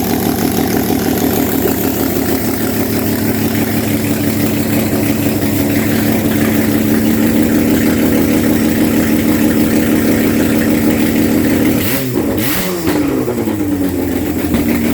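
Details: Rebuilt RB32 (3205cc) six on an engine stand, Haltech-managed, with ARP625 rod bolts, retimed, run hot to 82°C, 150 psi compression on all cylinders: even, smooth running with clean rev rises and quick drop back, no knocks or rattles; normal free revving.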